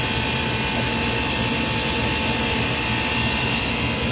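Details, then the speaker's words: Ice machine not making ice, after a new control board with relays enabled: contactor in, constant even hum with a faint steady tone and pump noise, no clicking or rattling; the compressor is running normally. "so we got the contactor in here the compressor running you can see the pump there running that's hooked up"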